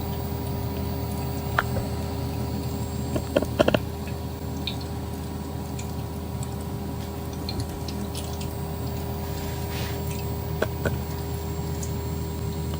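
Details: D5/655 PC water-cooling pump in a custom reservoir after enlarging the impeller area to stop the impeller hitting the reservoir: quiet steady low hum with faint water trickles, no knocking; running smoothly.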